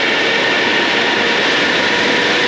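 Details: AC Infinity 8-inch inline duct fan for a GPU mining tent at high speed on the bench with no duct attached: loud, steady airy rush with a faint even hum and no rattle or wobble; running cleanly.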